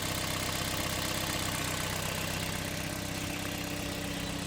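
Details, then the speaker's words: 2008 Toyota Vios automatic, idling: smooth, steady idle with an even pulse and no knocks, misfires or hunting; seller says no smoke and it runs smooth and steady; normal idle. "เครื่องไม่มีไอมีควันนะครับเดินเรียบนิ่งๆนะครับ"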